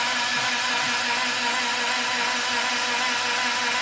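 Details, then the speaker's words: 1961 Triumph TR3A barn find, off road since 1985, new high-torque starter, fresh oil, no spark yet: steady, free starter whir speeding up; normal cranking, oil circulating. "So we are cranking, it's spinning faster and faster. It's sounding better and better. I would say oil is circulating now."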